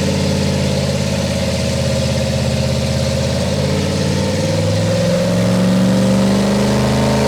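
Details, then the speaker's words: Ford 351 Windsor V8 with a flat-tappet cam, EFI fitted, in a full-load dyno pull: pitch climbs steadily, then briefly stumbles near the top. A high-rpm miss; tuners unsure whether it is the rev limiter or an engine fault. "kind of missed there at the end. So, was that up against the rev limiter or was that I don't something with the engine? It's hard to say."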